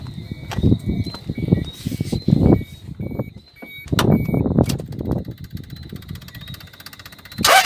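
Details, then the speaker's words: 1995 Toyota Hiace 1KZ-TE diesel with broken wiring found and crank sensor checked: starter churns with uneven chugs for several seconds, about 10-15 cranks, before the engine catches roughly; hard start, cause not pinned down. "Yes, this Hiace with a kit, about 15 cranks before or turns before it starts, but it's starting in a shorter period of time."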